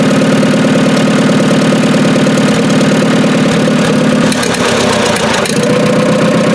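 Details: Dozer T4 engine, first run after rebuild and reinstallation, with ignition timing set, head re-torqued and valve gap set, and no coolant yet: even, steady running with a low rhythmic beat and no knocks or rattles, sounding healthy.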